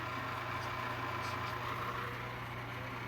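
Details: Old electric motor running: steady low hum with faint dry rasp and soft wobble about three times a second; owner says bad bearings lacking oil, suspected dry sleeve bearing.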